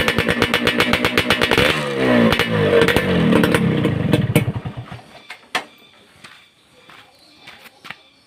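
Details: Suzuki Satria Hiu two-stroke under restoration, after glasswool/asbestos packing was fitted in the racing exhaust: sharp blips with a full, solid note rather than tinny. Normal exhaust note.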